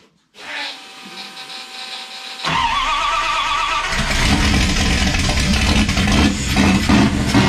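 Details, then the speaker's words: '51 Dodge dually, 5.9 Magnum 360 with eBay GT45 turbo, Holley Terminator X EFI, LS coils, Dual Sync distributor, custom headers and exhaust. Starter catches, a loud V8 settles into a strong even lope and picks up cleanly: normal running and revving. "oh that sounds good let's get sounds so gnarly with the turbo oh man my ears are ringing a little bit that feels so good"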